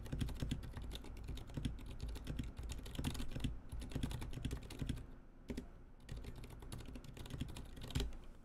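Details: NK65 keyboard with old, never-lubricated Zilent switches before lubing: quiet, uneven typing with a dry, scratchy edge on each keystroke. The switches are terribly scratchy.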